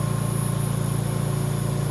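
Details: VMUS-DG1 ozone generator (double quartz corona cell) at 80% output, oxygen flow 6.7 L/min: steady buzz with low hum and thin high whine, even and unchanging. This is normal corona discharge, with pitch rising with output.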